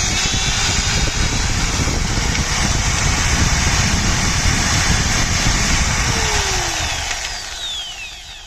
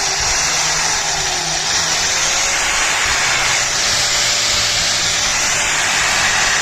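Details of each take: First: 4-inch angle grinder after regreasing the gearbox: high, smooth, even whine with no gritty growl, clean spin-down on trigger release; the noise was a grease problem, gone once fresh grease mixed in. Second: 4-inch angle grinder running at full speed: high-pitched rough whirring whine with a coarse gritty edge from gears gone dry of grease; gearbox likely heats up with extended use; dry gearbox gear noise.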